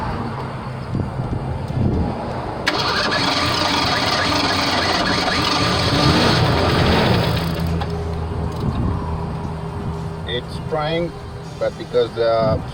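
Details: 1987 Ford Bronco II 2.9 that stalled and wouldn't start, after distributor, coil and pickup-coil checks: long steady cranking before it finally catches and settles into a rough idle; spark plugs so wet from flooding it's hard to start.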